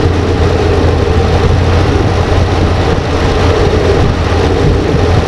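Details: 2014 RAM 2500 6.4L V8, running after replacing the transmission solenoid pack and fixing the corroded connector behind a P0706 no-start (no Park/Neutral): smooth, deep, even rumble, no knocks or misses; healthy.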